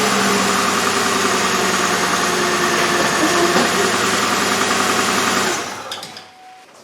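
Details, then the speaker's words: 2003 Chevrolet Impala 3.4L, flashing engine light, P0300 code, fuel pressure steady at 50-55 psi: uneven, lumpy idle stumbling about three times a second, engine shaking, not a fuel issue; misfire traced to worn plugs and wires. "just gonna start it up 50 pounds see it's shaking i like the fuel pressure problem it's not dropping that's not fuel"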